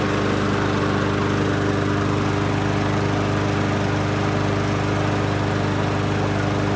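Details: Troy-Bilt TB110 mower with Briggs & Stratton plastic carburetor, customer says it quits after running a while; oil topped up, first cold run outdoors: steady even buzz at constant speed, no surging, sputter or dropouts; normal running.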